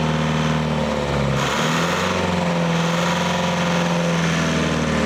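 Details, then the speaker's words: Leyland 154 tractor diesel after glow-plug heating: steady, even idle at about 1,200 rpm with great oil pressure, following a brief blip; it sounds healthy, though the diesel pump still leaks and oil spits from a broken dipstick tube. "Right, that should do us. It's running. Here's what we're seeing on the dash. Great oil pressure running at about 1,200 RPM. Oh, she sounds good."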